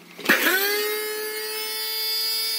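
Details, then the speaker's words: Samsung VC-6714HNS vacuum cleaner, 1200–1400 W, owner complained of intermittent contact and surging speed; after board resoldering, jumper removal and power-button repair, steady even whine, speed not wavering, air warm not hot, no burning smell; normal running. "А воздух идёт тёплый изначально то есть буквально за полминуты прогревается двигатель и идёт тёплый воздух Но горячее он не стал обороты не плавают"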